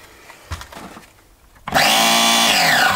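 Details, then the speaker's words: Nova B3 nitro RC engine in a buggy, glow start in use; starter box clicks, whirs up loudly, then its pitch sags as it labours because its battery is running flat and needs charging. "I might need to charge up my um battery for me start the Box yeah the battery's running out"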